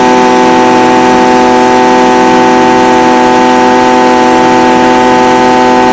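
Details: Stihl BG55 blower, no-start, fitted with a new aftermarket carburetor replacing one with a torn diaphragm; intake gasket damaged, possible air leak. Steady high buzz at one even pitch, no surging; running smoothly, though the owner waits 24 hours to test the cold start.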